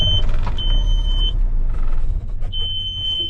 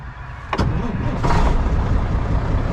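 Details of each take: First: Semi truck diesel restarted after driving, with repeating warning chime: rumble sags and nearly dies near four seconds, then catches; stalling after start, owner suspects a wiring/electrical problem or low fuel despite gauge over a quarter tank. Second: Semi truck diesel with push-button start, being sold: brief starter burst, then it catches within a second and settles into a steady, even low rumble; owner says it is one of their best starters, normal diesel start.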